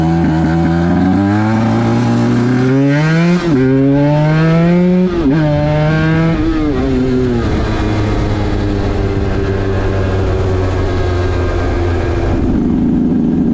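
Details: 2010 Aprilia RS 125 two-stroke on a VHSB34LD 34mm carb before tuning (162 main, K57 top clip, B36 pilot, 2.5 turns out): revs climb with a burbling stutter around 6,000–7,000 RPM before clearing. This is a suspected over-rich midrange from the stock needle, with a K21 needle as the fix.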